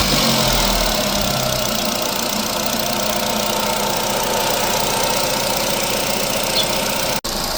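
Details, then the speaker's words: Chevrolet Cobalt after overheating and cooling-fan-running-nonstop fault fixed by thermostat repair, coolant refilled and air bled: steady idle with even hiss and hum, no knock; temperature rose to 90 then dropped automatically to 83°C, running normally. "Holatlari yaxshi, hozir xuddi ishlab beryapti. Graduslar ko'tarilib, o'zi avtomatik tushyapti."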